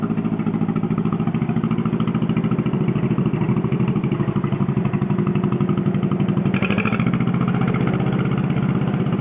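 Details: John Deere 420 Crawler two-cylinder tractor running on gas after a no-spark problem; slow, even pop at steady speed with heavy flywheel inertia and no knocks or misses; runs normally.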